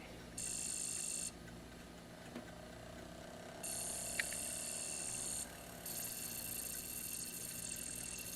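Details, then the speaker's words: ASTAR DVD player with a laser sled that was stuck, mechanism oiled: long stretches of hissy buzzing and ratcheting gear noise with a faint rising whir; the drive keeps trying but never reads the disc, limit switches suspected. "I don't think that's gonna read that doesn't sound good yeah it's not gonna work"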